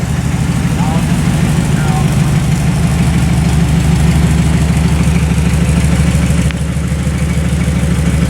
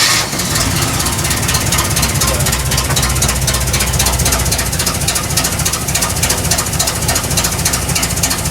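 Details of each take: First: like I say today we're just dialing it in I'm just running the camera I'll let the professionals Tinker with it sounds pretty good though Second: KITT's petrol engine runs rough just after starting, with a loud, uneven, choppy beat instead of a smooth idle. The tuning is still being dialed in, and vacuum leaks are heard. Definitely not quite right.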